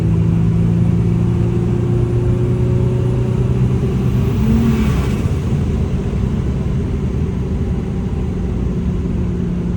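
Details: BMW E36 M3 with a new turbo, original blowoff valve still fitted, on a street drive: strong, even engine roar building steadily under throttle with a faint rising tone on top; a normal, healthy turbo acceleration.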